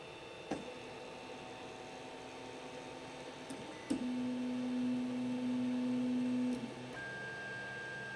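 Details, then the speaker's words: 3D printer after installing NEMA17 stepper motor dampeners on X and Y axes: faint even hum, smooth stepper tone, soft clicks; quite a drop in sound. "when we watch the decibel meter it only sits around 30 at idle"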